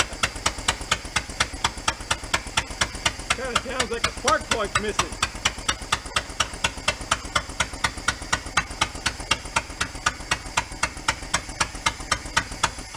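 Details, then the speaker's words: 1976 Porsche 914 converted station wagon, long-parked, after new fuel lines; rough running with sharp uneven puff-tick about twice a second; suspected blown head gasket, fluid dripping from number three or four cylinder. "hmm it's running on them but either it has a blown head gasket or mother she was going on"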